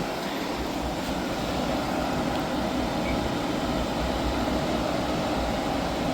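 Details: Hyundai portable air conditioner after refrigerant leak repair and recharge, set to max cool 16°: smooth steady hum and airflow rush with no rattles, squeals or cycling; running normally.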